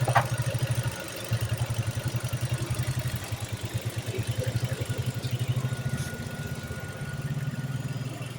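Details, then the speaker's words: Ford Focus automatic that would not start, after cleaning the intake, hoses and valve cover: steady, even low idle with a smooth regular pulse and no misfire stumble; now runs healthy. "ayan mga sir kung narinig niyo Ayan umaandar na yan tapos na nating nalinis na na pms ayan nakita niyo ibang-iba na siya kanina"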